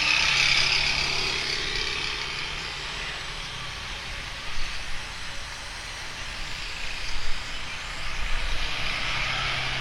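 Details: Speedybee Mario 5 DC FPV drone, Axisflying 2207.5 1960KV motors, T-Motor 5146 three-blade props, test flight after repairing stuttering motors: smooth, even buzzing hum swelling and easing with throttle, no stutter or cut-outs; normal motor sound in flight.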